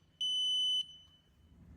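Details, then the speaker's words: CWU electric wheelchair beeping with one red and two green lights: single high steady half-second beep, drive mode mismatch such as switching to manual push mode without turning the chair off. "This wheelchair makes this type of sound in two types of scenario. First scenario where you want to push this wheel by switching it from electric to manual mode but you forgot to turn off the wheel which is the common mistake."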